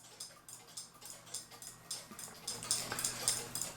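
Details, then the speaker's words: Newly received Keebler cuckoo clock, already wound, with one bird fitted: light, crisp, even ticking just under two beats a second in a quiet room. The movement is running normally. (The winder fault concerns a different Keebler "Love Bird" clock.) "And this one here I just got in the mail and wound it. Well, it's already been wound and it's doing fine."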